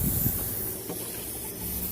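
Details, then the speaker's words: 10-ton Lennox unit, believed built 2001, not cooling; steady high-pitched hiss over the unit's low rumble as refrigerant sprays out of a leak once charged, found at the back of the circuit. "soon as I put refrigerant into this system, it started spewing out from somewhere. I can hear it, just can't seem to see it."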